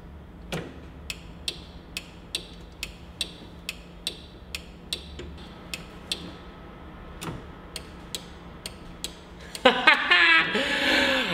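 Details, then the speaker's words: 1967 Datsun 1600 roadster with Miata 1.8L swap, newly wired turn signals (signal stalk to flashers to relays): crisp, evenly spaced clicks at about two per second, then a louder burst; relays switching normally, though left and right blinkers were wired swapped. "so i ran wires from the turn signal stock into the flashers and from the flashers into the relays let's listen to the sweet sound of clicking"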